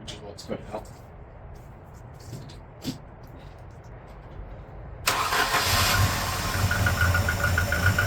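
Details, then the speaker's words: 1988 Volvo 240 barn find during restoration: cranks, catches after about five seconds, settles into uneven lumpy idle; rough idle, cause unconfirmed; owner may open an adjustment a bit more and suspects it needs choke. "Um, I might adjust this so it's open a little bit more. We'll see. It may also just need choke, which"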